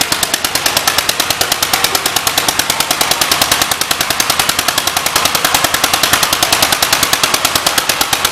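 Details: 1938 Cooper-Stewart export Gravely single-cylinder at a 2025 Gravely blow-in: crisp, evenly spaced exhaust pops about ten a second, no misses or knocks; old single runs clean and healthy.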